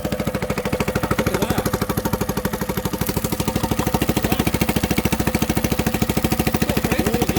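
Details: Honda BF5A 5 hp four-stroke outboard, not started for two and a half years, new fuel line fitted: putters along at a steady, even beat around 200 per minute, no misses or knocks; normal running.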